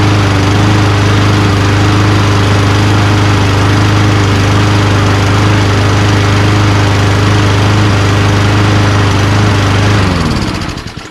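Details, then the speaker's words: Old Toro Recycler Personal Pace push mower, Tecumseh single-cylinder, after a slight tension adjustment: strong steady drone for ten seconds, a touch rough but firing evenly, then clean shutdown; runs fine. "Honestly, guys, I'm not messing with it. Runs just fine."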